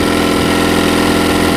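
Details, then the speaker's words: Mercury 9.9 four-stroke outboard on choke: steady, even fast idle with no stumble yet, living only on carburetor bowl fuel. No fuel comes from the pump line because of a loose fuel pump screw, and it will die when the bowl empties. "There's no fuel coming out of this line. No fuel at all. That's bad."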